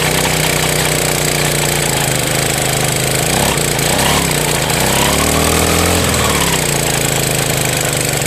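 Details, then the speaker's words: Brush cutter (motokosa) after winter storage, fresh fuel, hard starting since autumn: uneven stumbling run, revs surging and sagging instead of holding steady. "Щось підглючує. Пробуємо ще. [музика] [музика] Після зими таке часто, хоча скажу, тут конкретно цей цей ще підлючував з осені, то він ще тоді тяжко заводись."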